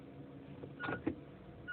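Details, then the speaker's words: Inspira 2.0 / Lancer GT idling after engine mount replacement, recorded inside the car with A/C off: soft low steady hum, droning gone, much quieter than before. "Okay, there's no more droning sound, or should I say the humming sound, and this is what it sounds like from inside the car."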